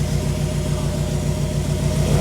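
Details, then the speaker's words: Nissan B14 four-cylinder with rough idle; customer already replaced injector rail and spark plugs and serviced distributor. Uneven, lumpy idle with stumbling exhaust pulse; cylinder 2 dead, scope shows no signal to injector 2, traced to failed ECU injector driver. "As you could see, you could probably see that it have a misfire going on, right?"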